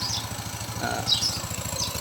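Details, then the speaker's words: Yamaha Mio 125i scooter, previously hard to start, now starting after a faulty fuel injector was found through pump and injector checks. It idles with a quick, even putter and no misses; sounds healthy. "อ่าติดแล้วนะครับเดี๋ยวล่อสักครู่นะก็ติดแล้วนะครับ"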